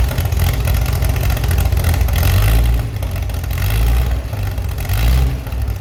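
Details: Chevy SS under restoration, engine restarted after the owner lowered the fuel level to fix a mistake. Deep steady idle swelling into crisp blips and settling back cleanly: runs smooth with very good throttle response.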